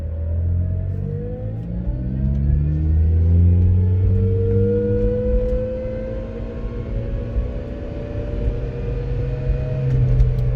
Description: Constant uncomfortable whining while the engine is on, at all RPM'S. sounds similar to a supercharger